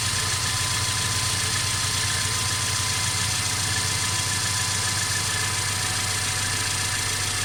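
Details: Mercedes CLA 250 at idle: constant rattle with no clear rhythm over the engine note; car also stutters when accelerating after long slow driving; source not pinned down.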